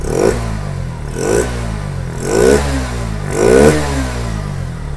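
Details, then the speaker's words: Bajaj Pulsar NS160 BS6 with starting, missing and pickup problems, after swapping the injector failed to help and the leaking, dirty throttle body was cleaned. Four clean throttle blips rise and fall smoothly from a steady idle with no stumble; fault was in the throttle body, now fixed. "तो friends अभी चल रहा है bike तो problem जो था throttle body के अंदर हम लोग का प्रॉब्लम था"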